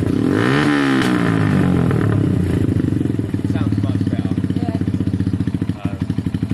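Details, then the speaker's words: SYM XS 125 after swapping gummed-up carb for a new up-jetted one, oversized Black Widow exhaust: single-cylinder putters very loud at a steady four beats a second, slight idle unevenness, otherwise running well and pulling cleanly. "very loud but the bike ran very well"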